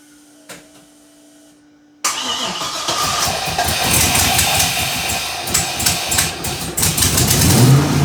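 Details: 1978 Datsun 280Z with aluminum 5.3 V8 and NP440 4-speed, after head gasket job, coolant drained; starter catches at once, V8 settles into a steady, even rumble with light throttle blips while warming up; sounds healthy.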